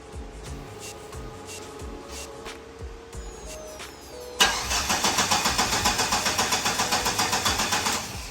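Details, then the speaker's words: Starter cranks in a quick even chatter for a few seconds before the SRT4 catches and settles; long crank before firing, fuel suspected draining back to the tank; runs well once started. "hey you just had to crank it over a little bit more so there's definitely something up with the fuel draining back to the tank for sure"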